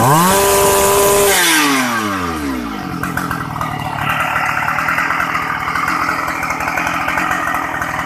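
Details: Shindaiwa 757 two-stroke chainsaw, used, easy starting, oil pump working; drops quickly from high revs into a crisp, steady idle with an even quick crackle, responsive and smooth; normal running.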